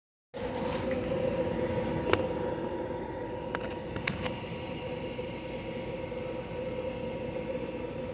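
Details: De'Longhi portable air conditioner, model PAC AN370G1W, starting up and running on full blast, cooling well: steady fan rush with constant mid-pitched compressor hum, even after switch-on; running normally.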